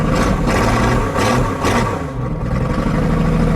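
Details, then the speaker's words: McCulloch machine cold-started after sitting all summer with the battery untouched: loud, uneven running with irregular surges and dips; rough running. The owner suspects the muffler is off, which could explain the poor start, and thinks the engine is worn. Cause unconfirmed. "Sounds like the muffler's off though. It's pretty loud. It's probably why it didn't start too well."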